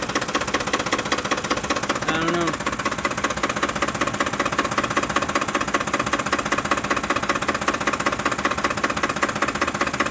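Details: 2007 Ford F-150 5.4L 4x2 automatic, 119k miles, rough idle after deceleration: an even knock of about 103 per minute, louder on one side, seemingly near the fan; cause unknown.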